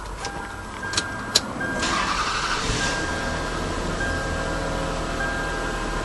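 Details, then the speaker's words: Toyota Highlander first start after knock sensor replacement with intake manifold removed and reinstalled and coolant refilled: short crank, catches, brief stumble of uneven firing for a second or two, then settles to a steady idle; normal after repair. "it just so you know it does run a little bit rough when you first start it up you have a little bit of a stumble in it but then it goes away after a second or two"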